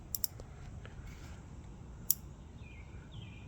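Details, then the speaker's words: Vintage CRT monitor from an abandoned house, after brushing around the flyback and power cycling: sparse sharp snapping clicks over low hum, flyback high-voltage arcing now less frequent but still present. "It sounds like it's arcing less now."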